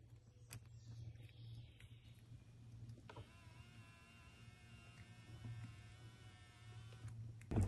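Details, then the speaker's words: 1995 Lexus SC300 left power mirror horizontal motor bench-fed 13+ volts at ECU connector pin A8 during mirror ECU tests: low hum then steady even electric whine, no grinding; motor runs healthy. "now I'm going to just add my 13 plus volts to these two probes and the left hand mirror should move I hear it moving"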